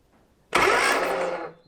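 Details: 1970 Morris 1300 (ADO16) barn find sitting for many years, newly refitted starter hot-wired directly: short, even starter whir turns the engine over for about a second with no grinding; normal starter cranking.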